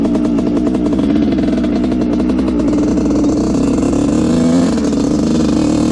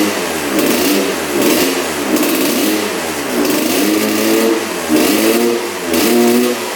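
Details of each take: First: Honda CR125 two-stroke dirt bike (1986/1987) that had a horrible bog, after needle clip moved one notch and rejetting: crisp blips with no bog or stumble; pilot jet was the cause, now running almost perfect. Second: 1986 Honda CR125 two-stroke on 40:1 premix, just restarted after a new spark plug: revs rise and sag, a bog at full throttle. Owner wonders if the exhaust pipe is clogged.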